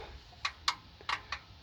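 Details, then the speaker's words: Cold engine cranked with spark plug out during leak-down test: four sharp, separate clicks over near silence from the valve train, felt at a rocker with valve down; lifter bleed-off suspected. "I see that this this valve is down if I put my finger on that I can actually feel it click click"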